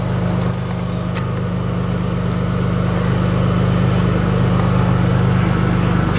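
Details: Audi B5 S4 (tuned) after fixing a boost leak from a loose throttle body boot that caused low boost and limp mode: faults cleared, engine restarted into a smooth, even idle with no hiss or hunting, no check engine light.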